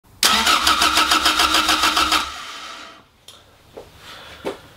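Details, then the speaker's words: Toyota MR2 Mk1 4AGE, new battery, not run in many years: the starter cranks at about five even pulses a second for two seconds and it never fires. "then guys she'll turn but she won't fire so let's go through some logical fault-finding procedure"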